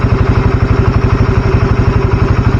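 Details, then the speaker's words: Carbureted single-cylinder motorcycle just after changing to Deltalube Adventure 731 20W50 oil, idling around 1400 rpm, engine under a quarter on temperature gauge, heard from left side: calm even low thump, no tappet ticking; normal idle. "pribadi sih adem banget Memang suaranya karena balik lagi kan si-nya kental kita dengarin dari sebelah kiri dari sebelah kiri juga enggak kedengaran suara keteng ya halus"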